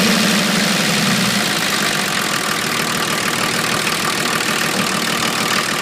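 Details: 1980 International Scout II with factory Nissan SD33T turbo diesel, first run after rebuild, still cold at a high idle settling down: a harsh, loud clatter, louder than others seen; the owner wonders if the cam is to blame, cause unconfirmed.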